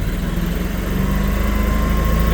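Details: Generac 24kW standby generator running during its weekly 5-minute exercise: steady low engine drone with an even pulse and no knocks or misses. Normal running.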